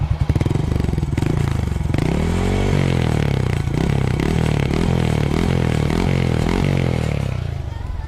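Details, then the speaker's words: Honda Astrea Grand with Karisma carburetor (pilot jet 35, main jet 75), cold engine: single-cylinder idle into a few blips, soft even low exhaust thump with no rattles or misses; exhaust not too loud. "itulah bunyinya dari knalpot. Tidak terlalu berisik, teman-teman."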